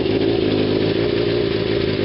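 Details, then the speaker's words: 1981 Kawasaki KZ550 LTD idling with the exhaust header nuts not tightened: a fast, light ticking on the engine beat is an exhaust leak, not an internal engine knock. "they're not really tightened so if you hear that noise it's an exhaust leak it's not a knock in the [Music] engine"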